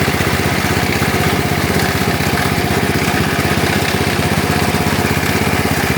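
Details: Lawn tractor small engine, cold-started after battery charging, idling steadily with a harsh scraping rub. The cooling fan broke off inside and catches while the engine turns: rubbing noise at idle.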